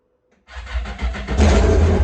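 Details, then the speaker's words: Yamaha GP1200R converted to a GP1800R, first start of the new engine, speedo cluster not fitted: catches instantly with a loud, raw, unmuffled roar that settles into a strong, even run. Fires and runs cleanly; the fuel line was not yet installed. "Angry. Angry. Why so angry? All right. That's a start. Sounds awesome."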